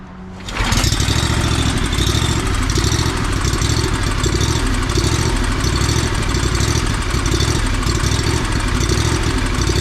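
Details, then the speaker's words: Lawn mower that started running poorly; uneven, ragged idle that dips and surges; owner suspects fuel starvation from a clogged fuel filter, possibly carburetor, governor or low jet adjustment. "Sounding like crap. So there's a couple things that it could be."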